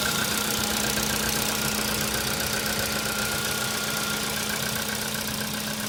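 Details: Cold-start idle on a CFNA engine: a fast, fairly even light ticking knock rides over a thin steady hum; the knock is present when cold and its cause is unclear.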